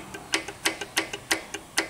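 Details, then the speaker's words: Audi 1.8 TFSI turbo with code P0016, weak and misfiring, chain removed: intake camshaft adjuster rocked by hand clacks sharply about five times a second from excessive free play, exhaust one solid; intake camshaft must be replaced. "muita folga excessiva tá vendo ó é muita folga compensação ó não mecha a de escape não mexe perfeito tá bom"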